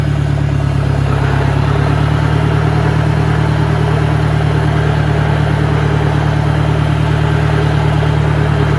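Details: 1965 John Deere 1010 with suspect maintenance, Stanley muffler, about 1000 rpm in first gear: a loud, steady low droning hum, heavier than it should be; the transmission is noisier than the 1963's, cause unknown.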